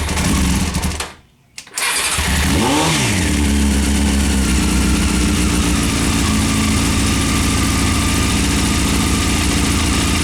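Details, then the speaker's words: 1998 Honda CBR after carb rebuild, new spark plugs and K&N air filter: starts and idles roughly with dips in pitch, then chokes out when the throttle is blipped. Owner suspects a vacuum problem, not confirmed. "the bike runs it starts just when you do the throttle blip it just chokes out might be vacuum might be something not sure"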